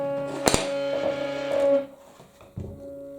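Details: Stepper motor of a DIY lathe/mill power feed on a 24 V supply with pulse modulator, running on the bench; quiet steady mid-pitched hum, faint drone, a handling knock, vibrating on the table (cork mount suggested); normal stepper hum.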